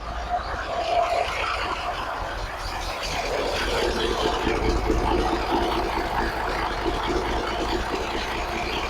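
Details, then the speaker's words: 1983 Kenworth cab-over, Cat A-model diesel, after setting injection pump timing and overhead; started right up, owner thinks it's running out of fuel; fairly even idle under hiss and background noise, no knocking or stumbling; owner thinks it's fixed. "But it sounds like maybe I fixed it. I mean, it sounds pretty good, doesn't it?"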